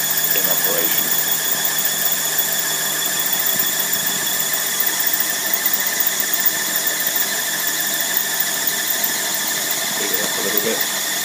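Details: Tripet MUS-100 universal grinding machine with oil-mist spindle lubrication on and overhead drive running, not grinding; steady high whine with constant airy hiss, no knocks or rough patches, grinding spindle running smoothly.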